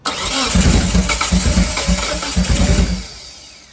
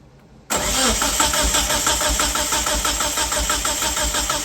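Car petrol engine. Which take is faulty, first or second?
first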